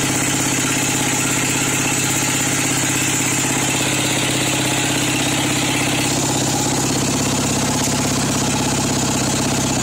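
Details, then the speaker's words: Craftsman 13.5 hp single-cylinder mower engine that was found with no oil and was smoking, owner suspects a cracked piston: low, uneven pulsing idle of about 100 beats a minute, below the carburetor setting, with an oil smell. Low rough idle. "yeah this is a lot lower than what I have the carburetor set for idle I can smell the oil"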